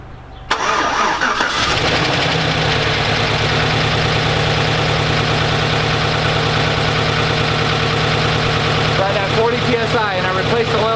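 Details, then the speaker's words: Chevrolet Silverado Z71 after top-end rebuild with new lifters and DOD delete, second start to check oil pressure: steady idle with a light quick lifter tick that is already quieting. "And already you can hear the lifters calming down. They're getting quieter."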